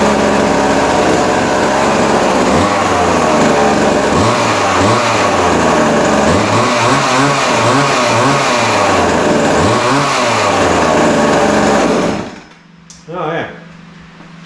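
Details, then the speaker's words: Vintage Montgomery Wards Featherlite 10-inch two-stroke chainsaw, believed late 60s or early 70s, running after adjustment; high buzzy wail rising and falling with throttle, then cuts off cleanly; revs freely, chain oiling, normal running. "no telling how old it is but man it runs runs good sounds good"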